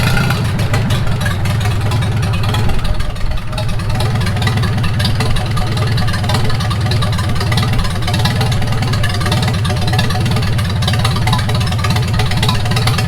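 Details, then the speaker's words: 1942 Farmall H tractor, hand-cranked and started after transmission repair (scraping/screeching and hard shifting from reverse fixed), carburetor not yet adjusted: steady, even low idle with no knocks or misses, running smooth; normal idle. "Oh, gotta turn the fuel or the ignition on. Well, it runs pretty good for not even adjusting the carburetor."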